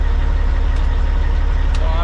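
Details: Semi truck with a Cat diesel after an intermittent no-start: steady, even low chug at idle with no knocks or misses; healthy-sounding truck.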